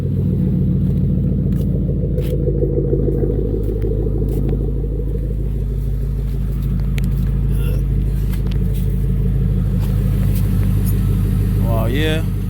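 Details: Cadillac STS idling steadily after a DIY fuel pump/fuel filter replacement, checked for leaks and primed by cranking: low, even rumble with no stumbling or surging; engine running normally.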